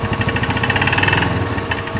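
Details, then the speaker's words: Empire Outlook / Logik four-stroke scooter, previously run out of oil, revving with a rapid sharp ticking knock that fades at times as speed rises, suspected rod knock but found to be valvetrain knock from a broken valve spring. "es un sonido bastante curioso ya que genera generalmente el golpe de biela se escucha a todas revoluciones del motor es decir tanto en ralentí como en alta velocidad"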